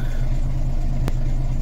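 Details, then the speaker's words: Volvo B10M diesel idling about five minutes, throttle not blipped, after rebuilding the Bendix AD-2 air dryer; deep even idle with one brief click, no air hiss or leak. "So the battery has been on for 6 minutes, so it's been idling for probably about five. I've not blipped the throttle."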